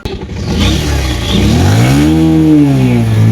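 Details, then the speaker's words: Motorcycle that died on the road and would not start for 40-45 minutes, finally started; catches and revs up and down unevenly with slight clatter, runs now but the no-start fault is undiagnosed, heading to the garage. "চল্লিশ 45 minute অপেক্ষা করার পর গাড়ি start নিয়েছে।"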